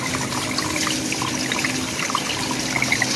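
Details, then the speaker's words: 18-door frozen food case with iced evaporator coil, washed with cold water after defrost heater and fan connection fault: trickling and splashing water with crisp pattering deep inside as it strikes leftover ice on the coil. "you can hear it too like you can hear the ice you can hear the water hitting the ice back there it's way down there"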